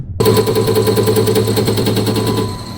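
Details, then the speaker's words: Mitsubishi Fuso Canter Euro 4 injector on the test bench: crisp, evenly spaced crackling bursts about three per second with no misses; max delivery 156 ml/min, return 13.8 ml/min, injector passed the test and is ready to install. "Ну то есть мы видим что форсунка тест прошла полностью готова к установке"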